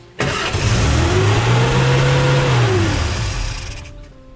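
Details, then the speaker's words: 1959 Austin Healey Sprite with rebuilt engine, first start: fires and climbs to a fast, steady idle that sits higher than it should, otherwise clean and even; a high idle. "it's a little high, isn't it?"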